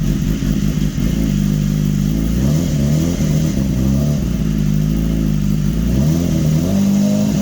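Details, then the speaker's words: 2015 BMW S1000RR, first start after an engine swap, intake cleaner foam still clearing, needed throttle to catch: engine runs ragged with revs surging and dipping unevenly, smoky; rough first start while the cleaner burns off, no system warning light. "I got to check the oil now woo Smokey well at least it started"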